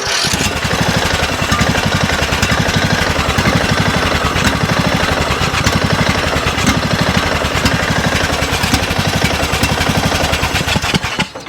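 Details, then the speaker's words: Neglected Craftsman riding mower engine, low on oil, run outside with choke worked by hand to lower idle; uneven single-cylinder firing, hunting, stumbling, owner suspects bottom-end knocking, later diagnosed bad head gasket or piston rings; rough idle. "And see, I can't tell. And I can't really keep it running long enough either to even be able to test everything else out."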